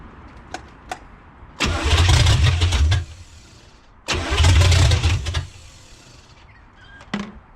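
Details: 1985 Pontiac Trans Am 350 small-block, not run in seven years, cranking with carb cleaner, advance adjusted and one plug found off: two cranking bursts with ragged partial firing that never settles into running.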